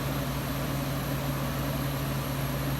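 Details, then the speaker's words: 1995 Friedrich KStar 8,000 BTU window air conditioner, Q-chassis, R22, rotary compressor with a loud kick at start then quiet: steady low hum, even smooth drone, no knocks or rattles; compressor settled, running normally. "it's got a Humpty rotary compressor that has a little bit of a loud kick to start otherwise it's silent afterwards"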